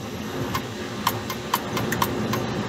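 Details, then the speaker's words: Three-phase refrigeration compressor's unloader solenoid checked with Y2 unhooked, about 22–23 V reaching it: sharp regular clicks about every half second over faint unit hum as the solenoid energises and switches; operating normally. "what that does is you got to click there you can hear the solenoid changing 23 22 volts so it is energizing"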